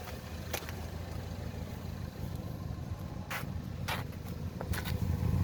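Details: 1.6 THP direct-injection petrol engine (Peugeot/Citroen/Mini) smoking blue oil smoke with high crankcase pressure blowing oil past the valve cover; low, lumpy, stumbling idle with odd sharp ticks: rough idle misfire with oil burning.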